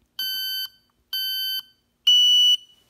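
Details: Smoke detector pushed to test after cleaning and fitting a fresh battery: three loud, shrill alarm beeps in an even pattern, working normally.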